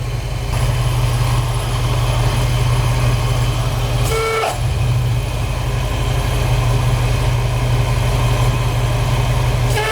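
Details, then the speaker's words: AC compressor seizing: with AC on at idle, clutch engaged, a heavy droning growl sits under the engine note; compressor pulley got very hot, risking fire and serpentine belt damage, so engine shut off; new AC compressor to be ordered. "But now let me go turn the air conditioning on and you'll hear the noise that he heard, which caused him to get stopped and figure out what was going"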